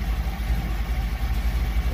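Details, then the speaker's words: 1977 Chevy Camaro small-block Chevy V8 with newly installed Edelbrock Pro-Flo 4 EFI, timing locked at 12 degrees, idle being set to about 750 rpm: smooth rhythmic even lope, no tapping or whine; normal idle. "rpm i'm going to set that about 750 that sounds good so i'm just gonna keep an eye on things here [Music]"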